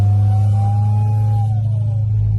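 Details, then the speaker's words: Car tipping into throttle from inside the car: deep engine drone with a whistling turbo whine that climbs under throttle and fades on lift; turbo judged faulty and sent for rebuild. "So I'm just going to go ahead and tip into it for you, and you can hear. And I'm sure the camera's picking that up, or you can hear it whirl."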